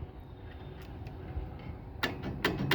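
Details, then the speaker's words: Nordyne M1MB 056A furnace, no heat, four-flash lockout for failed ignition, igniter working. Gas valve powered directly from the transformer gives sharp clicks but no gas flow. Gas valve bad. "clicks no gas gas valve was bad cannot get anything to come out"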